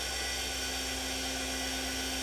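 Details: TurnCrafter Commander 12-inch lathe after a control board repair (bad MOSFET replaced), at high speed around 3800 rpm: steady high-pitched whine with a constant tone and no knocks or roughness. Normal running.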